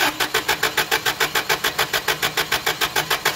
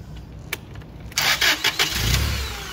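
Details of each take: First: Toyota 8 Series 5,000 lb LPG forklift with 4Y-ECS engine, hard-start complaint: even cranking pulses, about 3.5 per second, drag on for over three seconds before it catches rough; long crank. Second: Toyota 8 Series 5,000 lb LPG forklift, previously long-cranking and hard-starting, after an adjuster was turned counterclockwise to richen it: brief half-second crank, then it catches at once and idles steadily, pressure held, no longer waiting for the slow-path solenoid.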